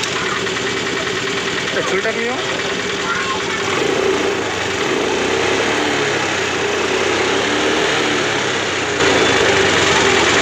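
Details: Honda Activa/Grazia scooter after fixing a self-start problem by lifting the pickup coil slightly toward the magnet with a screwdriver: fires up on self-start and settles into a steady, even idle, no misfire or stumble, healthy.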